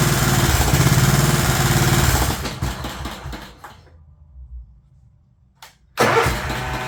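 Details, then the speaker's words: Scotts S2048 riding mower engine bogs and dies about two seconds after the PTO is engaged, then turns over again; the mower deck blades turned out to be locked up. "let me see why it's just dying doesn't really sound like it's uh dying because it's too hard to turn it sounds like he's dying because I'm just killing the motor"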